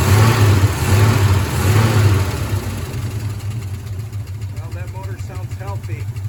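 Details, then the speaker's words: 1972 Ford F-100 Ranger XLT V8, first start after sitting over 10 years, running on fuel poured into carburetor bowl until it ran out: lumpy idle, skipping pulse, then fading; missing, owner suspects a stuck lifter. "it's missing sounds like maybe one of the lifters is stuck or something"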